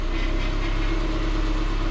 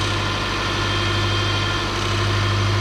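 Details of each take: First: 2006 Subaru Forester after power steering pump fix (new O-ring), previously stiff when cold and noisy: smooth steady idle with no whine or groan as the wheel turns lock to lock, only slight noise at full lock. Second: 2006 Subaru Forester power steering pump at idle, stiff and noisy when cold: thin high whine while the wheel is turned, fluid low, very foamy and dark; a lot of air in the system aerating the fluid.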